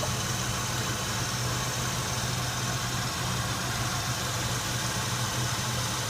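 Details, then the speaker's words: Oldsmobile 307ci V8 after EGR gasket replacement fixing a vacuum leak: low, smooth, even low idle with steady rumble, no misses, knocks or hiss; healthy idle. "This engine seems to be running very nicely. That is at low idle, and seems very performance oriented now."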